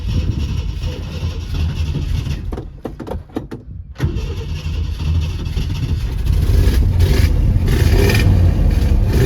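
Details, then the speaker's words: 1966 Ford Thunderbird that sat for years, on a borrowed battery with no alternator charging: catches and revs with a lumpy, uneven beat and stumbling pulses under throttle; engine misfire, possibly bad gas, cause unconfirmed. "Sounds like we have a misfire. That could be from bad gas."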